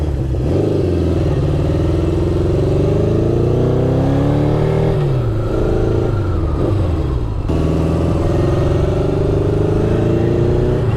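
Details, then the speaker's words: Honda CB750 after carb rebuild and sync and ignition parts replacement, on a test ride: revs rise and fall but the note stays lumpy, sounding down a cylinder; misfire later traced to voltage loss, H says at dirty kill-switch contacts. "Kind of sounds like it's down a cylinder right now, which is weird."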